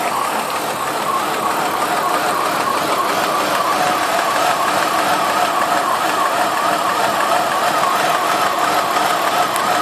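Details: 2002 Ford Escape, 143k miles, warm engine idling rough with a wavering, pulsing note; code P0301 cylinder 1 misfire plus earlier running-rich code, check engine light on; owner suspects a kinked vacuum/PCV hose.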